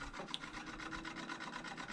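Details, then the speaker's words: Stock radiator cooling fan on a Nissan 350Z with LS swap, being hot-wired for Holley Terminator X control: steady raspy scraping pulsing several times a second, fan sounds strained or dragging; may need new fans, cause unconfirmed. "And that fan sounds like it's hurting. So we may end up doing new fans anyways."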